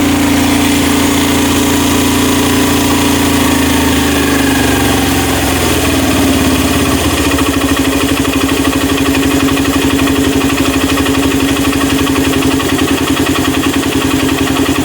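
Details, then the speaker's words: Honda Mega Pro mono being tuned for hard starting and idle dying. After the air screw is set at peak, the single settles within seconds into a steady, even idle with constant tone and no hunting; idle height is left to preference. "Oke ini pas Bro ya eah kalau untuk masalah setelan alangsam itu tergantung selera Anda ya mau agak tinggi atau mau agak rendah itu terserah"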